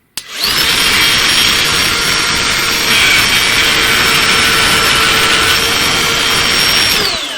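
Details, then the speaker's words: Ryobi cordless router freehand-carving a wood sign with the bit set well into the collet: high, steady whine with a harsh buzzing rattle, heavy bit chatter. Chatter is suspected to come from the collet design. "That's got a lot of chatter. I don't know. Could you hear that? Mm-hmm. That's a lot of chatter. And I think it has to do with that collet design."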